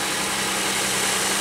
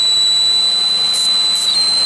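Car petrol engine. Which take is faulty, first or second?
second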